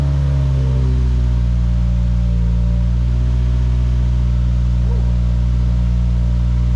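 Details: Subaru WRX FA20 first start after engine rebuild and six months off, fresh oil and 93 fuel, new tune: smooth, even low rumble with steady pitch, no knocks or misses, healthy idle; oil leak later found at aftermarket cooler fitting.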